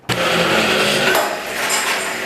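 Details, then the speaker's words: Old table saw (1977 or 19-something, Craigslist buy) after restoration and fresh paint, blade free spinning: steady even whir with clean constant pitch and no rubbing or knocking; saw runs smoothly. "that sound good it's free spinning right now"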